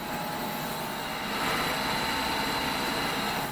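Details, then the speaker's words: Hobart 5801 commercial heavy-duty meat and bone band saw, refurbished one-owner grocery-store unit, run through a 3-phase converter: blade turning very quiet and smooth, steady hum with faint high tone, no knocks, rubbing or rattles; normal running. "See the blade turning there. Very quiet. Very smooth."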